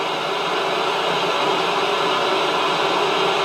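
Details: 1970s Bush VTR178 multiband radio, reported not working on mains, brought up slowly on variable supply to 130–140 volts: steady even hiss, no hum, crackle or dropouts, current draw not registering; receiver operating normally on mains.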